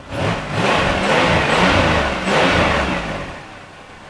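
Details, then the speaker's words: 2003 Chevrolet Monte Carlo SS, not yet at operating temperature, good oil pressure: two strong rev-ups from idle climb cleanly and fall back smoothly with no knocks, misses or rattles; runs strong. "come up it runs strong y'all hear that everything good oil pressure battery life need some gas it's not up to operating temperature yet"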